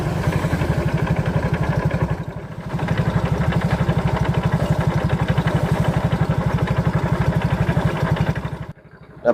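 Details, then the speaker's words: Yamaha Mio GT scooter idling with heavy regular klotok knocking about four times a second from the CVT housing, very rough; mechanic suspects worn or faulty internal parts. "itulah suaranya suaranya itu ada suara klotok klotok klotok seperti itu pokoknya di bagian rangka CVT ini kasar sekali"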